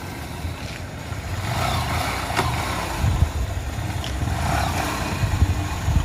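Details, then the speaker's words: Honda Shine motorcycle after chain service and an oil change (the oil was very black): the engine runs and pulls evenly with no chain rattle or slapping. The earlier chain noise is gone and pickup is strong: a normal chain drive. "బండి నేను ఎట్లా లేపుతున్నాను అనేది చూడండి బండి ఇప్పుడు sound అనేది రావట్లేదు"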